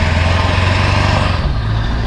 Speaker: you can hear the exhaust back pressure valve coming on sorry if there's a lot of wind noise